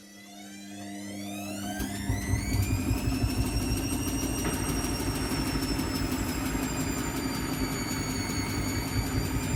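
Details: Washing machine spin cycle: the drum winds up to speed with a rising whine that levels off into a steady hum and faint rumble; cause suspected but not confirmed.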